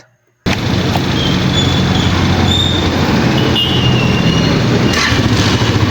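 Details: Pantra-type small single-cylinder motorcycle, formerly very hard starting, after converting to a Lihua 4-pin CDI on a primary-type stator: fires instantly and settles into a steady, even buzzing idle with no misses; starts easily now.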